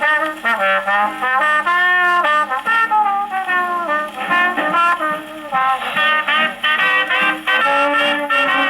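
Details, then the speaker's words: Paillard model 302 portable gramophone, suspected late 1930s, with a factory large reproducer and small horn, wound about 40 turns, playing a late-1920s Tommy Dorsey electrical record: loud, shouty, strained brassy peaks as the record overwhelms the horn. "Let's listen to Tommy Dorsey here, and you'll hear it scream. This record definitely does overwhelm the horn."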